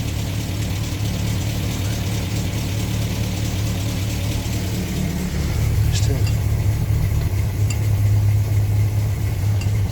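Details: 1962 Land Rover Series 2A 2 1/4 petrol four-cylinder after 10+ years sitting, new leads, on 10-year-old stale fuel, slight smoke: low steady thrum swelling with throttle, no knocks or misses; runs smoothly.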